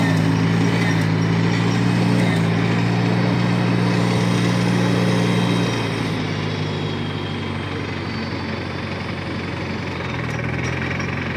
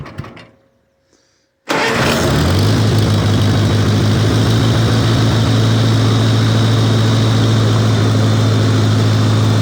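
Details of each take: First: 1953 Farmall Cub tractor after refilling the hydraulic system (NAPA tractor hydraulic transmission fluid): steady even low-throttle run, earlier high-pitched squeal gone, sounds a lot better; normal running. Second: 1953 Farmall Cub tractor, first start since winter plowing season, in neutral: engine catches and a loud steady squeal rides over the idle; hydraulic pump squeal from low/no hydraulic fluid, later fixed by refilling.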